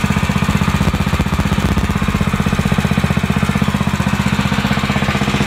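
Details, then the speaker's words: New YA-OKE WP 30 petrol irrigation water pump, 7.0 HP engine, first test start after unboxing, fresh petrol and oil: steady, evenly spaced low thumping at constant speed, no knocks or misfires; runs normally. "nah jadi itu sudah di testing ya mesinnya nyala dan suaranya juga"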